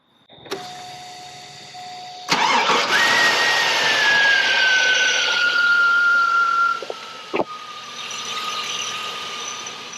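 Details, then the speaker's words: 2001 Chevrolet Silverado V8 with a lifter tick, after Seafoam treatment and about 10 minutes of sitting: it restarts and settles into a smooth, even idle, far quieter, with no noticeable lifter tick. Oil change and Lucas additive still planned. "oh wow that is immensely quieter now as expected all this is supposed to be coming out okay especially as things get treated and cleaned"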